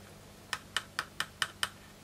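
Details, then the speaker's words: Vintage Czech Futurama 2 guitar, second pickup traced and tested after fixing the first: six light taps come through only as thin clicks over low hum; output very weak, pickup suspected dead, not confirmed. "I'm getting, I don't know if you can hear that, a tiny bit of sound, but not much. To me that sounds like the pickup's gone."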